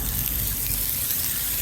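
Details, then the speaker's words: Car losing coolant and overheating, cooling system pressurized with a pressure testing kit: a steady hiss and spray of water at a hose joint when the pipe is moved. The coolant pipe is either loose or split. "So I'm moving the pipe, and based on that, I've got a leak."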